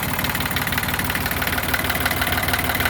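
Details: Yanmar YM1610 diesel tractor (1979-1981, 942 hours, three-speed with reverse), first start after about 10 years sitting: steady, even diesel clatter at idle, about three beats a second, no misses or knocks; runs smooth and healthy.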